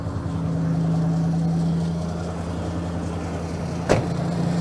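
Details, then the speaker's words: 1990 Ford F-150 4x4 plow truck, cold after heavy snow, owner suspects bad idle air control (IAC) valve: V8 settles into even, steady low-hum idle with no stumbling or surging, unlike the day before; normal cold idle. "Look at that, now it's going to idle."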